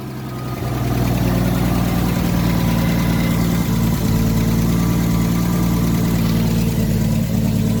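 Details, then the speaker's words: 1973 Plymouth Scamp started after replacing the leaking Holley Blue fuel pump and adding a fuel filter: catches and settles into a steady, even low idle with smooth rumble, no knocks or misses; healthy. "Nothing wrong with that. Now we got the engine running."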